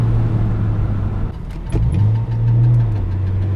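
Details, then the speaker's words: BMW on a test drive after new rear knuckle assemblies: deep, steady droning rumble that swells and eases with road speed. The car feels much better, but a driveline vibration remains; owner suspects a U-joint, not confirmed. "God that sounds annoying as hell too okay maybe it's not as fixed as we think"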